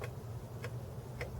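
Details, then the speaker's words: Jeep Wrangler cigarette lighter pushed in with key on after reassembly: soft regular ticks about every 0.6 seconds over a low hum before it pops out hot, heating normally. "You hear that little clicking there? And it popped out. And there's hot. There's indication that it's working."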